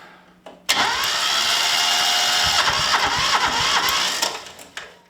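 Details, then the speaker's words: Ransomes Motor Triple Mk4 mower sitting about five years, fuel level unknown, decompression lever down: starter churns steadily about three and a half seconds with a few weak catches but never runs; seems almost there. "Sounds like it's almost there. Just give it a bit of heat."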